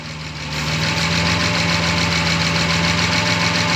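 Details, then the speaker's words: 1972 Jaguar E-type V12, not fully warmed, at 1450 m altitude: smooth even idle with steady hum, no misses; vacuum advance reconnected to manifold vacuum, sounds happier; disconnecting retards timing and idle speed drops. "can hear the engine sounds a little bit happier I'm disconnecting again you can hear the engine speed dropped that's because the timing is now more"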